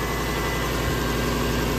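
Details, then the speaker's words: Lexus LS430 V8 at first start after engine overhaul and transmission swap, steady idle with a loud raspy puffing chuff and residue burning off; exhaust leak, location not yet found. "woo yeah oh we have an exhaust leak damn it but it's running woohoo"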